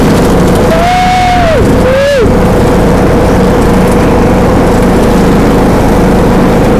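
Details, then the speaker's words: John Deere D105A riding mower after replacing burnt deck belt with new one: loud steady drone under cutting load, no belt squeal or slap; normal mowing operation. "there we go son oh there we go oh girl is ready to roll she ready to Mo that boat is working out great"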